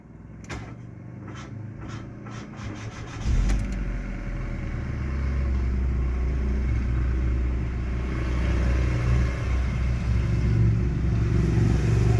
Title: Bad starter